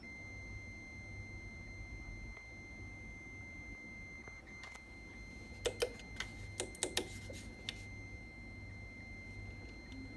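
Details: Fanatec ClubSport V2 wheel base gives a thin, steady, abnormal high-pitched beeping tone with a few sharp clicks midway. Firmware and drivers are updated, running on Windows 7 64-bit.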